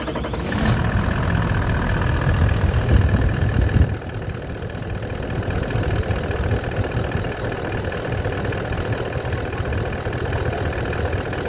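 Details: Toyota LandCruiser 200 series diesel, about 400,000 km, in for black smoke, with a dusty inlet from a thin air filter seal, idling with even clatter and no misses or knocks; zero blow-by, injector values good.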